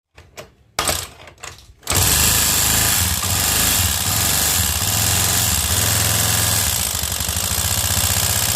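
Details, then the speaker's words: Honda Beat scooter, engine recently rebuilt after a costly prior service, stalled and idled heavily; oil shot into spark plug hole; on starting, harsh clattery rough idle with fast uneven chatter, very noisy engine; problem suspected in piston or decompressor. "terus pas dihidupin suaranya Kasar banget kata orangnya sih ini belum lama turun mesin ya guys Nah ini bisa kita dengar sendiri untuk bagian mesinnya berisik banget ya guys jadi ada yang bermasalah di bagian sehar atau bagian dekompresinya"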